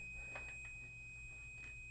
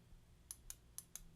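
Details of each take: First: Toshiba EM131A5G microwave door switch tested off the unit with an ohm meter; constant unbroken continuity beep reading 0 ohms that does not change when the plunger is pressed: shorted switch, causing fan and turntable to run with door open; replaced. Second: Toshiba EM131A5G microwave: replacement Yamatake door microswitch (16 A, 250 V), fitted after the original switch stayed shorted with the door open, running the fan and turntable. Five crisp, distinct clicks as it is pressed; normal switch action.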